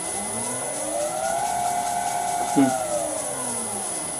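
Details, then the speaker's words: Vintage lathe motor on a new XYS-AT1 VFD replacing a 32-year-old Allen Bradley drive: smooth, even hum with a clean whine that climbs and settles as it spins up, no rubbing or knocking; healthy drive and motor. "It might sound even better if I increase the carrier frequency a bit."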